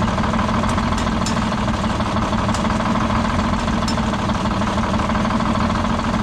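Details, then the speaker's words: Detroit Diesel 6-71 on its last run before removal: loud idle with an uneven, stumbling beat and irregular knocks, worsening over time; diesel misfire with one cylinder not firing. "umped out of the exhaust from that cylinder that's not firing"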